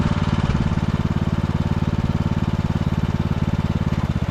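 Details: 2014 Ariens (Husqvarna) 42-inch riding mower revived after a coil rubbing the flywheel was freed and brakes restored: even, steady single-cylinder thumping with no misses, knocks or hunting; running healthy.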